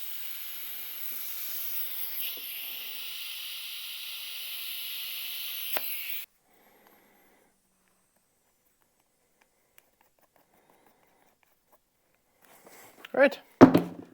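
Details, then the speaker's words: Compressor air hissing steadily about six seconds then stopping, escaping past worn, cracked tire inflator and hose fittings while seating a Cub Cadet lawn tractor tire bead, PSI raised to compensate; air leak at inflator fittings. "my air system is not in the best shape anymore both the tire inflator itself and the two fittings meeting together the hose and the tire inflator are worn out cracked not working the best"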